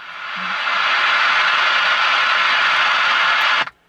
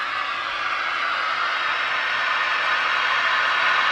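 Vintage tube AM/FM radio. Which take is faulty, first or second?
first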